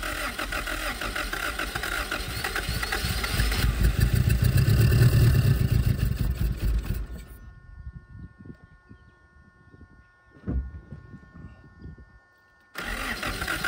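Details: 1977 Honda Civic, last registered 1987, first start in 37 years, no fuel system, fuel poured into the carburetor while cranking: catches and runs rough a few seconds at about four pulses a second, then dies.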